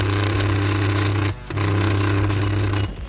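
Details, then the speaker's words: Stand fan, not the gearbox: loud steady low buzzing hum that cuts out briefly and returns, caused by rotor end play (sliding) on the motor shaft; fix is reducing that sliding. "ಕೆಲವೊಂದು fan ಗಳಲ್ಲಿ ಈ sliding ಇದ್ರೆ ಈ ತರ problem ಬರುತ್ತೆ"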